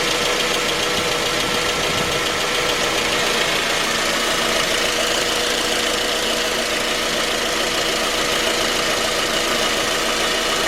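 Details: 2010 J20A engine at cold idle: a sharp metallic knock about three per second. It appeared at 10,000 km, dealer checks found nothing, and it grew more noticeable after oil changes. Cause was a scored crankshaft journal on cylinder 3, and the block was replaced.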